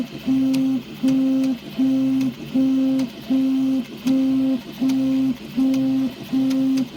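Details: Prusa i3 3D printer: steady tone-like burst repeating about 79 times a minute with sharp ticks between; unexplained rhythmic clicking.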